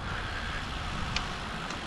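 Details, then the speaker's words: Cube road bike: a couple of sharp faint ticks over wind rush, provoked by alternating rear braking and acceleration, varying in loudness; click traced to the rear dropout/hanger seat under braking load. "teraz też więc musi to być przyłożenie mocy po hamowaniu czyli na zmianę hamowanie i przyspieszanie prowokuje dźwięk nie pojawia się to też za każdym razem pojawia się z różną intensywnością czasem głośniej czasem ciszej ale jest to Ten objaw"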